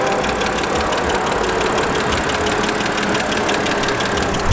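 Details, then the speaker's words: 2008 BMW X3 3.0L with over 10 years' use, heard at idle under the hood near the intake manifold: a fast, light top-end ticking rides over the engine note, suspected lifters but not confirmed. "yeah then we got a quick going on under there sounds like lifters or something like that"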